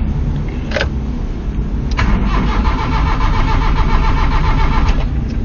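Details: 1993 Nissan Tsuru that starts then dies and won't restart: steady starter cranking about 3.5 beats a second with no firing; spark and injector testers fitted, no fuel pressure at all while cranking.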